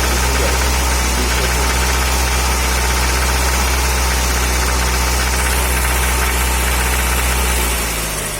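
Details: Audi 80 ABT at idle: steady metallic knock riding the engine rhythm, about four a second; source unknown, owner notes spark plugs need replacing.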